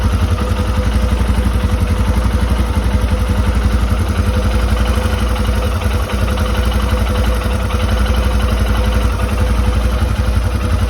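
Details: A Royal Enfield Himalayan single-cylinder motorcycle idles steadily with a light metallic clicking that follows the engine's beat.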